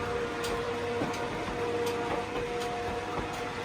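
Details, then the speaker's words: Sommer roller door control panel learning door travel time by running the door fully up then down: steady mid-pitch motor hum with light regular ticking from door travel; normal motor run. "what it's doing is just timing how long the door takes to open and close. And once the board knows how long the door takes to open and close, after a certain amount of time it knows to stop sending power to the motor because the motor doesn't need to run anymore."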